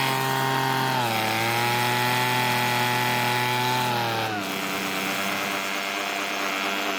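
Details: Weedeater two-stroke leaf blower, revived after long storage (spark and compression good, carburetor suspected); steady high buzzing note holds even and drops cleanly as throttle eases off, running healthy.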